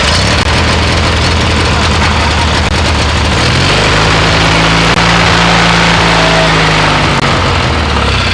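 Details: MTD mower twin-cylinder engine, after a steel woodruff key replaced an aluminum one: keeps running steadily, rises slightly in pitch then settles to an even idle, no knocks or misses; runs now.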